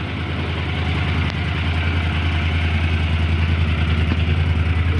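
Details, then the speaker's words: Honda CX650E prototype twin, first start during restoration, carbs refitted, cold engine: steady even low thump at idle, quieter than before, responds to revving, no misses or knocks; normal idle. "a little quieter than it used to be but motor still sounds good nice and quiet it's cold and I just reved it and it's responding still"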